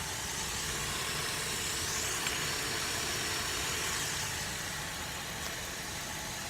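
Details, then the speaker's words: GM 3.6 VVT V6 with oil in intake and prior cylinder 3 misfire, now no check-engine light; even idle under a steady airy hiss from heavy PCV draw on the top port, which sounds like a vacuum leak but is not. "I know everybody's like you know it sounds like a vacuum leak but there's just so much air getting sucked through that one on top it does sound like a vacuum leak but it's not"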